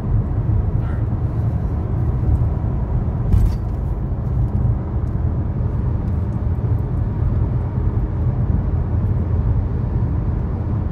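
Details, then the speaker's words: 2013 Chevy Sonic driving on smooth road after replacing both front wheel bearings: steady low road rumble with no hum or growl above it; new bearings sound healthy. "in the first clip you'll hear the sound of two new wheel bearings"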